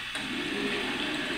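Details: Wanhao Duplicator i3 3D printer Y-axis: harsh rushing scrape with low hum as the bed slides; worn LM8UU linear bearing dragging, bearing debris and grease on the rail, to be replaced.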